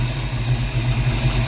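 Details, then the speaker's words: 1982 Ford Mustang GT, after repairing burned, shorted wiring, idling while a spliced wire is checked for heat: steady, even low idle with no misses, ticks or knocks; nothing warm to the touch, normal idle. "all right everything here seems normal nothing's warm to the touch"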